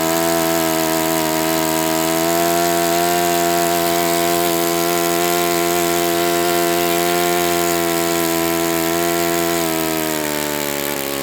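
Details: Enya 46-4C model four-stroke on the bench, 11.5 prop, air bleed opened 1/4 turn, throttle stop adjusted; high, steady buzzing drone at speed with a gritty undertone; owner thinks it needs new bearings, not confirmed.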